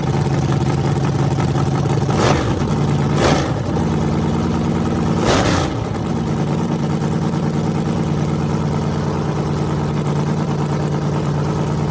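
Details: Freshly rebuilt small block Chevy 350 (355) on a converted run stand, open headers, restarted after adding gas: a deep, lumpy idle with three quick throttle blips that rise and fall cleanly. Normal running; afterwards it reads 107° front and 76° back.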